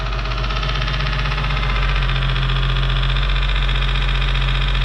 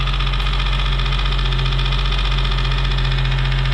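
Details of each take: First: 2008 Nissan 350Z 3.5L VQ35DE, engine not yet warm, quick revs then idle, heard from outside the car: smooth deep running with a light regular tick about four times a second, a broken piece of the fan hitting the pulley, not engine noise. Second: 2008 Nissan 350z 3.5L VQ35DE dropout engine running on test: steady, even low idle with a smooth beat and no knocks or ticks; it runs well, though a fan piece hitting the pulley is noted as not engine noise.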